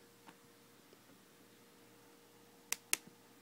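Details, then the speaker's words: 2011 MacBook Pro 15-inch: two sharp crisp clicks as the lid swings, hinge not loose, clicking appears after lid sits about 5 minutes then is moved, not when pushed only partly back; cause unclear. "one thing I do notice even if I don't push it all the way back it doesn't make the clicking noise but when I leave it like this and I move it after like 5 minutes or something it makes that clicking noise"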